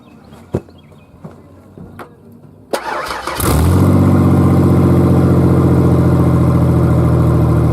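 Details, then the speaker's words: Cold start of a modified Ford Ranger 4.0 with EGR delete and open headers (no exhaust), no check engine light: clicks, then it cranks and catches into a loud, blatting, unmuffled idle with a steady low pulse. "It's pretty loud, honestly. It's too loud with open headers."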